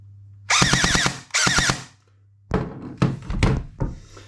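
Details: Brand-new JG Sig 552 airsoft AEG on 7.4v LiPo, short full-auto bursts: harsh high screech over rapid cycling, bevel gear meshed too tightly with motor pinion; fixed by shimming gearbox, no parts needed.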